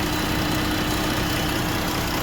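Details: 2017 Jeep 3.2: steady, heavy idle with a slight unevenness underneath; cylinder 5 misfire (P0205, P0305) from an injector that fails open once hot.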